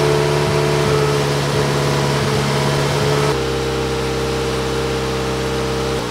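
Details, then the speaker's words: Toyota Yaris 1.5L 1NZ-FE after fitting a 2ZR Scion xD fuel pump assembly, 2ZZ spark plugs and a 1ZZ throttle body spacer: engine runs rough and stumbling, misfiring in limp mode; cylinder misfires and a throttle position sensor code were logged. "Well, something's definitely misfiring. It's gone into full limp mode."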